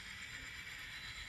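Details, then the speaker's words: Model locomotive reversing through Kato turnouts treated with No-Ox-ID A Special onto yard track 1: faint continuous whir and gear chatter, no dropouts or stutters; running smoothly without cutting out. "Whoops, she's doing excellent. No cutting out, no problem."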